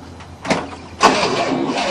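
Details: 1967 Cadillac that sat about 30 years, first try with a new starter motor: brief starter engagement, then a steady cranking whir with no firing or catch. The engine cranks but does not start.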